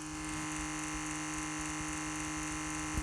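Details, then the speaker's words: Tesla Model 3 drive unit with a V3 OpenInverter board, resolver and motor temperature sensor connected, powered at 12 volts. A faint, steady whir with no rattle as the oil pump turns normally at low speed. "And you should hear in the background, I hope you can anyway, the oil pump turning at a low speed."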